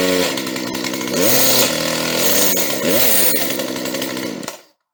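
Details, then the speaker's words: Used chainsaw started cold straight out with no prior setup (fired first pull), the one with the marked, bad cylinder: idles okay, chain brake holds blade still, revs up and drops back cleanly with crisp steady note, no misfire or rattle; normal running. "okay this one sounds okay at idle it's still cold but the blade is holding still she accelerates decently and the blade moves fast"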